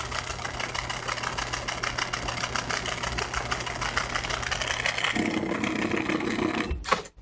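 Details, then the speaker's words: Samsung washing machine in spin cycle: fast uneven clattering rattle, rough hum taking over before shutoff; the defective, dead drain pump, which normally should only hum almost inaudibly. "ba de acá está defectuosa por eso tiene ese sonido normalmente debería solamente zumbar casi imperceptible al oído pero ahorita está sonando horrible porque está muerto la bomba no no funcionar como se debe"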